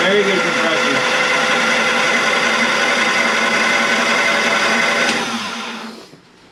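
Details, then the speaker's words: Two-cylinder Kohler generator on a 1992 Sea Ray 38 SS, unrun for years, started from the panel: steady whirring crank with an even fast chop and no firing, then stops; turns over fine but has no fuel. "spark plugs are in starter fluid it doesn't have any fuel yeah okay go ahead fire it up"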